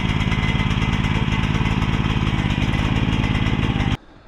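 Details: Mini excavator small single-cylinder engine with pull start after repair: steady even chugging beat, no misses, then shut off; normal running.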